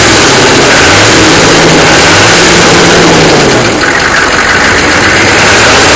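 Loud, clattery diesel idling with a couple of blips of throttle; a rough knock rides along with engine speed, source not pinned down.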